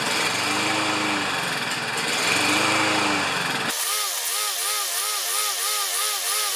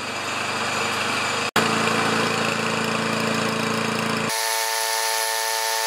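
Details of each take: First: Self-propelled Lawn-Boy mower with Kohler engine, before repair, choke closed, kept running with squirted fuel: revs rise and fall in slow waves, then waver faster, can't hold speed; owner unsure choke or dirty carburetor. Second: Self-propelled Lawn-Boy mower with Kohler engine, after carburetor cleaning, new air filter, clean plug and working choke: steady even small-engine drone at constant speed with no misses, surging or rattles; runs normally.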